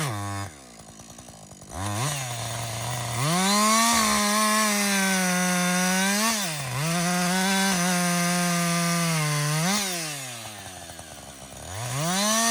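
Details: Husqvarna 562XP 60cc chainsaw, after a dealer reflash of its software for dying when hot and stumbling, bucking windfall: crisp whine climbs high, holds steady while cutting, drops back cleanly each cut; normal under load.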